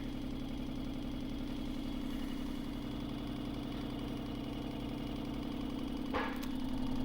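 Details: Vibratory pan apparatus, motor held around 11 Hz natural frequency with added power, almost an inch of displacement: steady motor drone with fast even shaking rattle, pan swinging hard; normal resonant vibration.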